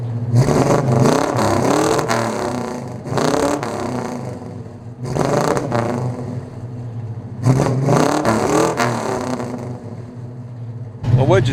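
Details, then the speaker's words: Freshly restored 1970 Chevy C10, parked 10 years, with new full exhaust; crisp throttle blips rise and fall cleanly in four bursts with a deep, even V8 exhaust note, no misses or rattles; runs good, sounds good. "does it sound good sounds good to me"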